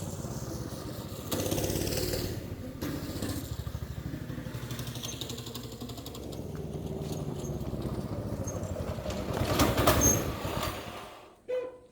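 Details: Small engine on a machine that has always run wonky and tends to pull away by itself when cranked, during a carburetor change and tune-up: quick, fairly even single thumps swelling gently with throttle, then cutting off; running normally.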